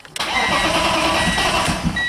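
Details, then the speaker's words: Car sitting a long time, 2014 battery that previously would not crank, resurrected with distilled water and slow overnight charge, 13.2 V: brisk, even cranking catches within a second into a steady idle; battery and starter working properly. "Wow, that's great. Remember before it didn't crank over at all."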